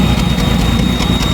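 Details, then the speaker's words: 1990 Jeep YJ 4.2L 5-speed, brand-new fuel pump already leaking: low, lumpy idle with an uneven beat and periodic puffing ticks; rough idle with a misfire plus an exhaust leak; owner suspects plugs need replacing. "I got it to sort of be iding it is missing out the exhaust leak"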